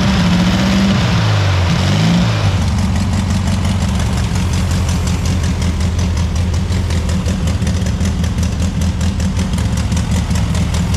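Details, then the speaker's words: Barn-find VW Beetle that sat 30 to 40 years in a field, started after wiring fix and fitting the petrol pipe: cranks, catches, settles into steady, even air-cooled idle with no misfires. "This car is finally running after all those years of being sat in a field. I think it were about 30 or 40 years this car sat."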